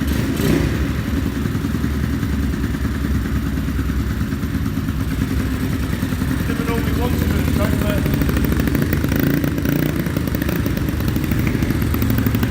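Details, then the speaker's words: Honda Dax clone with eBay 140cc engine (Z40 cam) swapped in, carb jetting unknown, first kick-start: small thumps with uneven lumpy beat and hollow note; rough running, owner thinks it wants more fuel. "Sounds like it wants a little bit more fuel."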